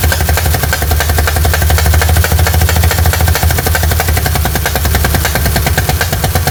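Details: 1960 Chevy C10, 235 engine, just revived after 40 years sitting, still cold; rough uneven running with loud low throb and irregular ticking about twice a second. Owner suspects a sticking exhaust valve and plans to back valves off.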